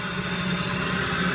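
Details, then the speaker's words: Mini-lathe with a new direct-drive servo motor and new spindle, bearings spinning for the first time, speed stepping down from about 3,500 motor rpm toward its lowest: steady, even whir with a constant mid-pitched hum and no knocks or rubbing; runs smoothly. "on the shaft speed. Again, this is the first time the bearings are spinning at all, so let's see what's the lowest one that she will go."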